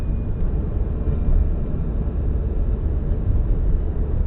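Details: 2002-03 Subaru WRX EJ205, warmed up, deep lumpy idle rumble with uneven pulses and stumbles; cylinder 3 misfire, spark plug ruled out, no ticking, engine shakes; supposedly a cracked valve.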